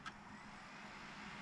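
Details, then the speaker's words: Modded Nintendo Wii spinning up a Super Smash Bros. disc: a steady rough grinding hiss instead of a clean whir. A disc drive grinding noise; a mechanical malfunction in the drive is suspected, not confirmed. "There's some kind of mechanical foulction malfunction going on in there."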